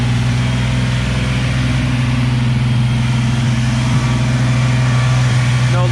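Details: Nissan 350Z engine's first start after replacing the upper oil pan, damaged because of a leaking oil pressure sensor now refitted with thread locker; lots of white smoke. Steady, even idle with a deep constant drone, no knocks or ticks, settling straight into a smooth run.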